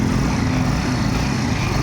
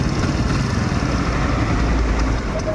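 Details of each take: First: Kawasaki Barako 175 idling after replacing the carburetor whose piston/slide was rattling: steady even low idle with smooth rhythm, no tapping or rattling; engine now quiet and healthy. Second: Kawasaki Barako 175 at idle, noisy despite new block, idle gear and kick gear: loud busy idle with fast loose clatter over the engine beat from a rattling carburetor piston/slide, later cured by replacing the carburetor.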